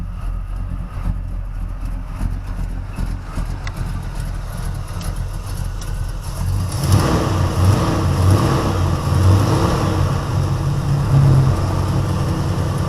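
Rough, uneven idle with a puffing tick riding on the exhaust note as it picks up; that's an exhaust header leak.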